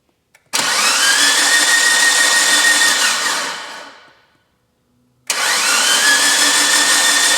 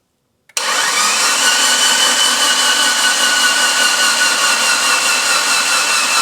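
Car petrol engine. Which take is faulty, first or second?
second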